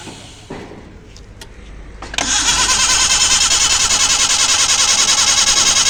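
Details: Maruti Gypsy, carbureted, cold start after long standstill, petrol poured into the carburetor; starter churns about three strokes a second but never fires; owner blames the carburetor idle valve, to be replaced or cleaned: cranks but no start.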